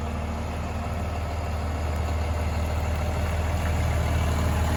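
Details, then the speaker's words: 1996 Chevrolet Suburban with Cummins diesel swap, idling just after a cold start: steady, even low diesel rumble with regular beat and no knocks or misses; slight haze of smoke when cold; healthy cold idle. "Since it is cold, it will smoke just a little bit of haze. You can kind of see in the shop there's a little bit of haze, but it's definitely not bad."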